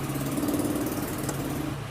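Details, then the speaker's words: Gas machine compressor after repair of its noise: a steady, low, even hum at constant pitch with no knocking or hissing; the noise is gone, it builds pressure and runs like new. "इंशा अल्लाह भी आप check करेंगे इसकी आवाज़ खत्म होगी और यह pressure भी बना रही है [संगीत] जैसे न्यू होती है कोई आवाज़ नहीं है बिल्कुल ओके हो गई है"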